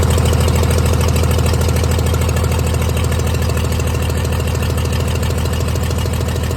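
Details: 1996 Dodge 2500 diesel idling cold, still burning off oil after turbo failure: steady low clatter, even pulse near 200 per minute; shakes and idles rough cold with a tick, smoother once warm.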